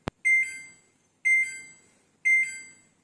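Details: Samsung front-load washing machine showing dE door lock error: three identical high double-chirp beeps, one per second, in a quiet room; fix is replacing the door lock switch.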